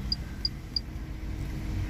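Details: 2015 Ford Ka 1.5 Sigma, which had low power and hard morning starts, after repair with no fault codes: low, even idle rumble with no misses or knocks, three short high chirps early, idling normally.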